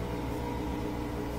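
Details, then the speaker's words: Bosch Axxis washer that won't spin during its cycle, drain pump motor humming with a louder airy whir as it spins an empty sump after draining; normal running, not a fault. "that's just the sound of empty sump that's the motor spinning hitting air so it's a little bit louder that's normal"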